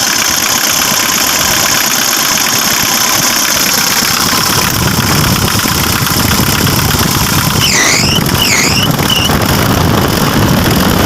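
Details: Mitsubishi L300 FB with a 4D56 diesel, previously low on power without smoke; after fuel pump assembly work it starts slowly, then revs cleanly in neutral with strong, steady clatter and full power.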